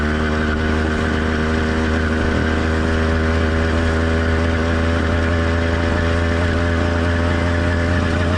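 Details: Two-stroke motorized bicycle engine at normal operating temperature, warmed but not heat soaked: steady even drone at constant speed with no misses, surges or knocks; running cleanly.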